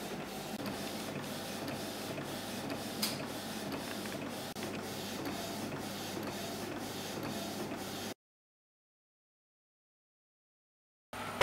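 Even, regular print-head passes about twice a second with smooth paper feed and no knocks or grinding: a healthy inkjet printing normally.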